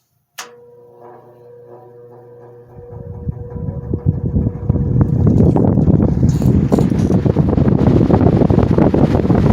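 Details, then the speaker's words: GE motor after repair, motor halves reseated on the housing: hums, then a rough fast crackling bearing chatter rises over the air noise as it comes up to speed; better than before, spin-down time decent. "It's better than what it was before. You still hear that bearing chatter in there."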